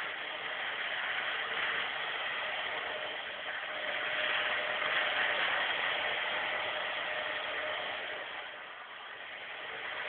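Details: Nissan SR20DE engine knocking from around 2000 rpm when revved, rapid tapping about four per second that starts, stops and returns with revs; cause unknown.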